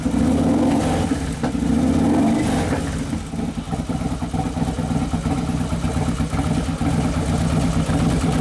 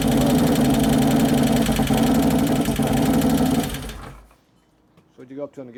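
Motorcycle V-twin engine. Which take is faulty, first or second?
second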